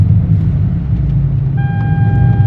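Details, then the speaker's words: Hyundai Genesis Coupe 3.5L on road test after custom dual-tip muffler replaced a loud hack job; deep, smooth, even rumble, no rasp, drone or rattle, plenty of power; normal exhaust note. "oh she sounds good he's going to be happy he still got that nice little 30y feeling to it but it's not overwhelming there plenty of power still sh I think it drives"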